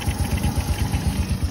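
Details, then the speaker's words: Original 110 cc motorcycle engine, unopened: steady low putter about eight pulses a second, even, no knocks or rattles; smooth, quiet, healthy idle. "Máy im đi luôn này, rất là êm. Máy này là ra máy đẹp anh em nhé, máy êm,"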